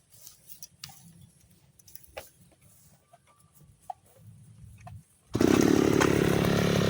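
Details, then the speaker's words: Side-mounted grass cutter with string line, carburetor fuel screw turned half a turn for string setting: after a quiet start, high steady light buzz cutting grass with no bogging or surging; running properly after adjustment. "bunyinya itu ringan guys ya, bunyinya itu ringan, tidak ada ho ho ho, tidak ada ya."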